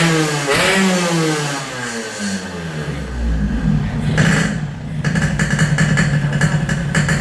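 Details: Yamaha RX-King two-stroke after porting, flattened block top deck and head repaired against leaks; first start while setting carburettor air. Crackles to life, revs and drops back, then holds a steady even idle with no misses; running properly.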